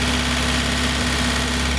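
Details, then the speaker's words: 1960 MGA 1600 roadster started after a year and a half in storage, using the starter solenoid and an auxiliary fuel tank: even, settled idle with no knocks. The generator or water pump stuck briefly, then it ran well with 60 psi oil pressure. "Either the generator or the water pump stuck for a second. That sounds good."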